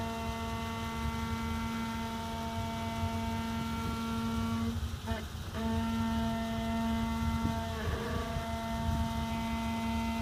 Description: 2014 Jeep Wrangler Rubicon Unlimited with 4000 miles making brake noise on incline.